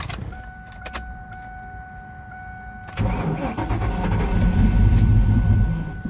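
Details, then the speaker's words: 1999 Ford Mustang GT 4.6 V8 5-speed, sat in a field for years, tank on empty, started on starting fluid with jump pack: catches near three seconds, runs lumpy and uneven, then dies; cause not yet known. "not bad oh it doesn't sound good though let's try that again a little bit more starter fluid"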